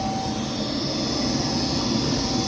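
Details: Goodman furnace after heat exchanger replacement and cleaned trap: steady even burner roar with a faint constant tone, no rumble or popping; burning cleanly.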